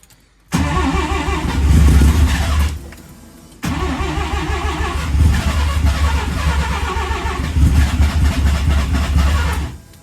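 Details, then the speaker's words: Mazda 323 with Bridgeport-ported turbo 13B rotary, replacement ECU: idles rough, loping and stumbling on a far-too-rich mixture with mix trim set to zero; owner then pulls 30% fuel off the maps and it smokes heavily. "doesn't like that okay we'll go halfway somewhere so I'm actually pulling 30% off my fuel"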